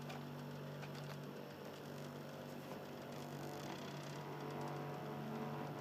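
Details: Xbox 360 Slim Philips DVD drive in standby: low steady motor hum, lower in tone than before, with a soft rough grinding texture throughout, pointing to a worn spindle motor.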